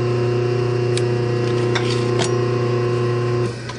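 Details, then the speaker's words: Rebuilt 1/2 hp dual-voltage single-phase motor with new capacitor and bearings and a refurbished centrifugal switch, running unbolted with no load at about 3 A and not warming. Its steady hum cuts off and the centrifugal switch snaps back during a normal coast-down. "and you should hear the centrifugal switch snap back right there and uh that's pretty much it"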